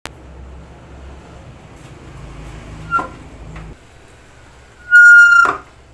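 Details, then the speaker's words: Motor scooter brake: sharp high steady squeal about half a second as brake applies, with weak braking grip; owner suspects dirt, cleaning planned; not confirmed. "bale yun mga kaibigan napakinggan niyo ah maingay yung ating preno kapag nagpe-pray y"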